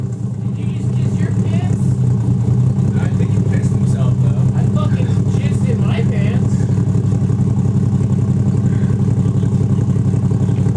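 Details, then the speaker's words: 1JZ VVT-i swapped Nissan 240SX, plugs ruled out, runs better warm but cold-blooded; idle with steady uneven repeating lope; consistent misfire, suspected on cylinders 2, 4 or 6, possibly coil pack or bad igniter. "the misfire seems to be very consistent my guess is that it's going to be two four or six that are having some kind of issue"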